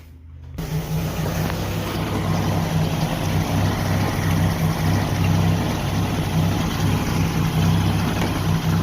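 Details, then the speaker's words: 1988 Jeep Wrangler YJ 4.2L straight six, automatic, before timing and carb adjustment: a low, uneven surging idle (idle raised from about 500 rpm) with exhaust popping, attributed to over-advanced ignition and a lean carburetor. "all right so some of the symptoms we've got a obviously a bad surging idle um i did increase the idle a little bit on this it was only island about 500 rpm so the main thing is you can hear the exhaust all that pop and that's normally this sign of a to advanced ignition and a lean condition on the carburetor"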